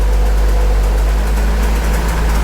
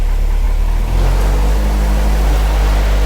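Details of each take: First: Warm engine idling around 750 RPM, coolant at 194, 26 psi oil pressure on warm oil: deep even idle, steady rumble, no drone or beat, getting quieter; smooth idle. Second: Project Crewman first run, idle measured at 550 rpm (too low, to be raised to about 750), transmission fluid low, coolant temp around 192: deep steady booming drone as the exhaust dump pipe resonates at the low idle.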